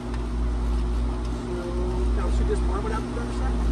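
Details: AC condenser running with the Nest thermostat bypassed by a jumper, no C wire, after the contactor had been chattering: steady low hum with a constant motor drone and fan rush, no chattering or clicking; running normally.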